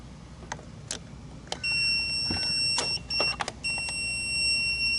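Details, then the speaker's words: EverStart Maxx jump starter with clamps reversed, positive on negative: after clamp clicks, a shrill steady beeping alarm warns of reversed polarity, and the start function won't engage. "what happened you hear the beeping and this is what's gonna show that means i got the polarity reverse"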